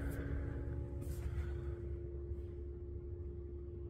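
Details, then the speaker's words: Diesel heater in a van running after fitting a roughly 10 cm longer rubber connector hose between pump and stiff polyamide fuel line: only soft heater hum and low rumble, no pump clicking; quiet fuel pump. "so the the heater is is running so you can hear the the noise of the the heater but there is no clicking"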